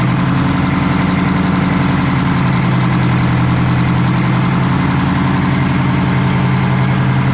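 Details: Detroit Diesel 4-71 two-stroke, first start after rebuild with injector heights set and initial smoke gone: deep, steady idle with an even beat, no misses or knocks; idling cleanly.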